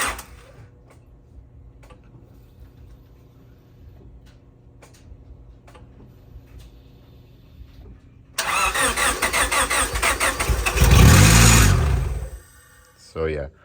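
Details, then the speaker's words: 2000 Honda Civic Si B16A after head gasket, valve seals, LMA and valve spring rebuild: faint ticking, then cranks into harsh rapid top-end clatter rising with revs; valve lash not adjusted. "I was lazy didn't do the valve lash it sounded horrible"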